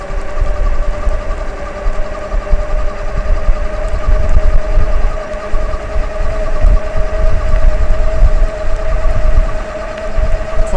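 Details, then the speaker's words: Euybike/Auloor S4 e-bike with a 48V 1000W hub motor and 25Ah battery, at full throttle in the highest pedal assist near 29-30 mph into a headwind: a steady mid-pitched motor whine with wind rumble. Normal, though louder than a quiet hub motor. "I will say for a hub motor this this motor is actually kind of loud it's not annoying or unbearable but my red star is really really quiet so that's kind of what I'm used to"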